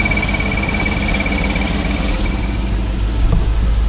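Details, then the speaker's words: 1989 Range Rover Vogue SE V8 after cylinder head refit, cooling system disconnected, idling: rough puffing exhaust blow on the other side; something dry beneath, probably power steering; alternator belt shredded. "There is a blow on the exhaust somewhere. It's on the other side."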